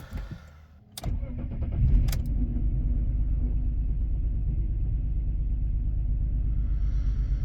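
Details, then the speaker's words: Petrol engine with cylinder 3 misfire after swapping coils 2 and 3: cranks, catches, then lumpy idle with uneven pulse about three per second; misfire persists. "So we've got a misfire again, which is sort of what we want. But if that misfire has now gone cylinder 2, then we know it's definitely that coil."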